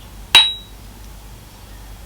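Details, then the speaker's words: Grinding wheel removed from a 1930s Herbert Junior surface grinder, ring test: two taps give short dull thuds with little ring, unlike a new wheel's higher-pitched ring, suggesting the old wheel may be cracked. "before I replace this just want to carry out a little ring test and as you can hear they're quite dull thugs which means there may be a crack"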